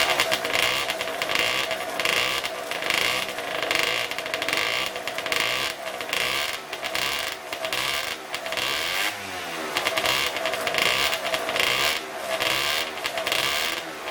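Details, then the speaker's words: Two-stroke scooter with newly installed LV exhaust, plus clutch springs, roller weights, M6 jets and hi-flow filter, warming up to break in the muffler packing: crisp, high buzzy note rising and falling in repeated blips, pulling cleanly without stumble; healthy. "Before that, you probably want to warm up your bike and let all the muffler packing burn in first, or break in, if you will. So I'm just going to start it up and let it run for a bit, see how well it sounds, and we'll go from there."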